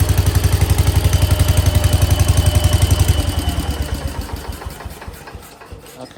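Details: 1968 Case 155 garden tractor, just revived by cleaning the points for no spark: even, steady low thumping at roughly 230 beats a minute that settles and fades smoothly; normal idle.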